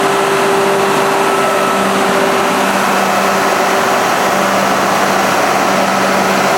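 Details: Cat D326 diesel genset (3 ton) run after priming its fuel lines to clear an air pocket. Steady, even diesel drone with a constant hum and no knocks or misses; runs smoothly and healthy.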